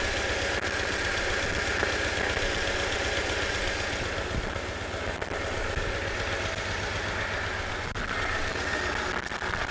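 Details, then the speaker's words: 1997 Jeep Wrangler first start of used crate engine after new starter install: even idle with quiet top end, no valve tick or knocking; oil pressure confirmed; a starter shield contact noise noted earlier. "Well, it would be loud if in the top end if we didn't have oil pressure. So, we it's quiet. So, that means we got oil pressure for sure."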